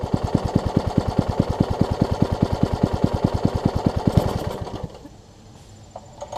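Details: Troy-Bilt Tuffy rear-tine tiller, rebuilt from pieces; gas is reaching the carburetor but it won't keep running. Single-cylinder thumps at a steady, lumpy beat for about four seconds, then it dies out: fuel starvation from a wrongly fitted carburetor diaphragm.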